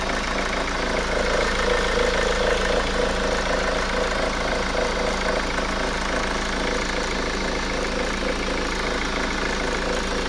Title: Honda Accord 2.2 ctdi rough idle